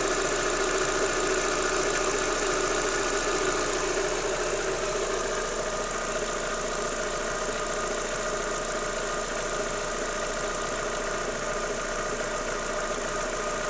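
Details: Daewoo Lanos 1.6 16V at steady idle: light, fairly even tapping about twice a second. It stops when the timing belt and rollers are wetted with water and is gone after replacing the belt and idlers. Timing belt idler knock.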